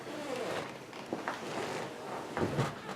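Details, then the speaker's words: Used rocker recliner chair coming forward from full recline: sharp metallic clicks and clanks, louder with a heavier sitter, as a bent undercarriage piece catches on a screw; fixed by shaving off the excess screw. "it's catching and sometimes it really makes a nasty clanging sound"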